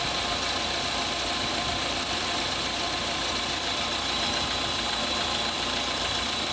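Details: Engine idling with a steady airy hiss over faint light ticking, loudest up high; owner suspects a belt problem. Not confirmed.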